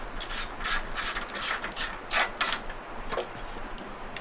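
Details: Wacker Neuson VP1030 plate compactor with a Honda engine: irregular ratchet clicking as the recoil cord is pulled; engine turns over and is not seized but does not catch; recoil needs sorting, cause unconfirmed.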